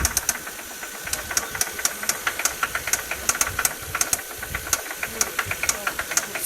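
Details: Toyota 1JZ-GE engine at idle, revved slightly: sharp metallic knocking about twice a second; VVT-i gear was first suspected, but the cause was a spun bearing shell.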